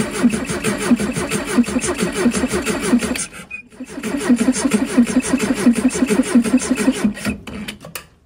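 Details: Steyr Puch Pinzgauer 710M that sat for a long time, cranking after its fuel pump was rebuilt and reassembled: two bursts of steady cranking at about four or five turns a second that never catch. No start from fuel not reaching the engine.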